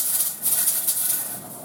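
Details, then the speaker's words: All-American pressure canner during processing time, on its second batch. A soft steam hiss with brief rattling surges as the weight rocks; this normal jiggle is supposed to happen about 4 times per minute while the gauge holds the set pressure. "That jiggle? Okay, it's supposed to do that 4 times per minute, and that's the way it's supposed to process."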